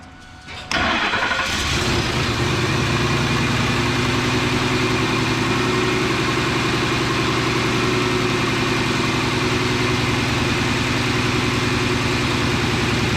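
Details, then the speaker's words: 2003 Ford F-150 5.4 L V8 after idle air control valve replacement; previously stalled at stoplights and made a hooting noise. Cranks briefly, catches cleanly and settles into a smooth, steady idle with no hooting or hunting. "But at the very least, our idle should be better. That really annoying but infamous hooting noise should be gone."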